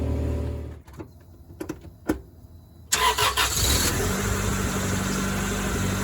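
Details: Acura Integra after temporary exhaust patch, rotted resonator ends bridged with slip-fit parts-store pipe and three clamps: quiet, then engine cranks, catches and settles into a steady smooth idle; no puffing, ticking or steam near the cat, no leaks.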